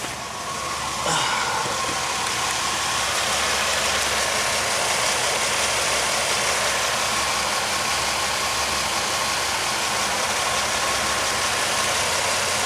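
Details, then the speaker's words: 2001 Pontiac Aztek GT after oil change (old oil held Seafoam), oil pressure switch suspected stuck closed: smooth, even idle with steady hum, no knocks or ticks; engine sounds healthy. "that's fine but it sounds good sounds okay"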